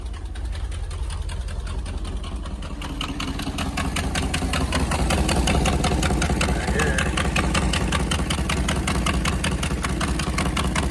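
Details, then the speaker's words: 1977 International hay truck, just started cold and filmed under the engine: sharp, rapid puffing ticks over a rough idle from a bad exhaust manifold leak, worst on the other side. "fired right up instantly heard the terrible exhaust leak from there hear it but the worst is on the other"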